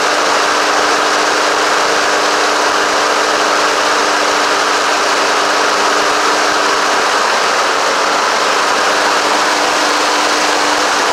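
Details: Honda HRX217 mower single-cylinder engine after carburetor clean, new drive belt and new recoil: steady even drone for over ten seconds, no misses or surging, running normally.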